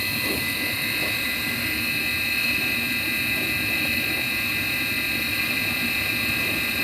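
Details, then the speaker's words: Midea dishwasher after repair of a stuck wash motor (error E15); even steady whoosh with constant high hum, no grinding or rattle; slight bearing noise noted but bearing left unreplaced. "already our problem already got called we resolved the problem machine is running now"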